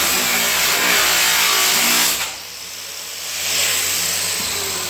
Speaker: it's all off the grinding disc that is from the grinding disc itself you can hear it bogging down as you're going and what is happening there is the actual two pieces of metal are closing in on the uh the grinding disc because of the nice tight fit